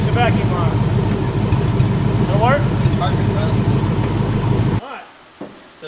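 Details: 1972 Ford Maverick with an early 302 V8 and roller cam, original distributor reinstalled: loud, steady burble with an even beat and no misses or knocks, then shut off; runs healthy.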